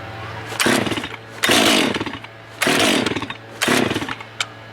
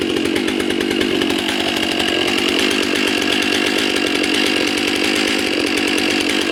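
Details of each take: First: New Stihl (MS 462 C-M/661 C-M) during break-in on a 65°F day, restarted warm after 10–12 minutes off. Four pull-starts give brief rasping cranks but it never catches; unlike the owner's Echo, it needs choke again. Hard warm starting. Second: New Stihl MS 661 C-M during break-in, cutting ash at barely over half throttle, deliberately loaded a little. Steady high-pitched two-stroke buzz below full revs, loading slightly in the cut; runs clean and even, normal.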